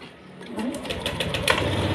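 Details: Honda Beat Pop scooter that stuttered when ridden, after fuel pump replacement: buzzing hum builds over about two seconds as the new pump primes, pressure reaching 40 PSI on the gauge; pump sounds healthy.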